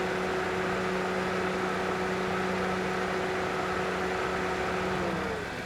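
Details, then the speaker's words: 2004 Toyota Matrix after A/C refrigerant top-off, high side about 180 and low side 26–27 psi, cold weather: steady whir with a humming compressor tone that fades as the clutch cycles off; normal frequent cycling after cabin reaches temperature. "Now the compressor is off. You you might be wondering why it's cycling on and off too frequently. Is because the weather is bit cold and it has quickly attained the desired cabin temperature."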